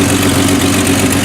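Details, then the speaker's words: 1989 Jeep YJ at idle, exhaust far louder than it should be on both sides, forcing shutdown at drive-throughs: loud, raspy idle with a sharp puffing edge, before the exhaust system replacement. "loud that is, and it is not supposed to be that loud. When you go to the other side, it is just as bad."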